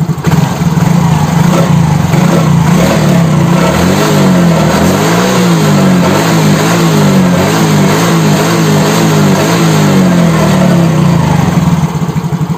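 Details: Yamaha X-Ride (same as Mio J/Soul GT) injection scooter after a no-start fix (fuel pump not humming, dies with turn signals), charging 13.1–13.6 V: small single revs rise and fall smoothly with an even beat, no misses or rattles; normal revving.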